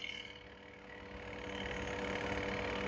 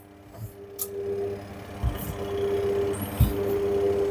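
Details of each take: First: Candy semi-automatic washing machine on spin cycle, whose wash motor has a sticking bush fault; steady low hum with an even whirr building smoothly as the drum speeds up, no rubbing or knocking, spin motor running normally. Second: Candy semi-automatic washing machine on wash cycle, spin works fine: steady electrical hum in short bursts while drum barely moves; wash motor bush sticking so motor stalls, fixed by replacing wash motor.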